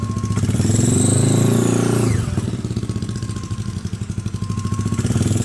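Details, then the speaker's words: Scooter CVT with a hard, coarse-knurled clutch bell, compared against a Proper Racing Line bell: engine running with a clear, loud high whistle sweeping with revs over the drive. "terdengariulannya gede banget ya ini juga sama guys yang udah di kartel kasar"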